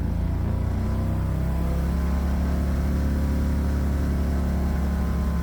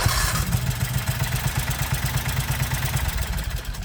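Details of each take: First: 1969 Renault R10 with a 670cc Predator twin, new dual 24mm OKO carburetors and CVT, driving: smooth, even low twin-cylinder drone pulling steadily under load with no knocks or misses; running healthy. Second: 1969 Renault R10 with a 670cc Predator twin, starter cranking: slow, labored chugging about three beats a second, straining on each compression stroke; hard cranking on compression, starter fine once spinning.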